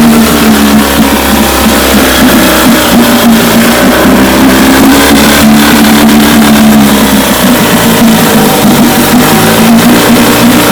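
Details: 1958 Evinrude 18 hp two-stroke outboard after rebuild (magneto, single-line fuel pump conversion, carburetor kit, impeller, gear oil): loud, steady buzz holding an even pace, no misses or knocks; running cleanly.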